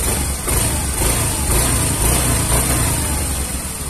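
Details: Yamaha Mio M3 injected scooter with a hesitation and power-loss complaint, fuel pressure reading around 60 to 70 on a gauge: engine ticks over with a steady, even beat and no stumbling or surging at idle.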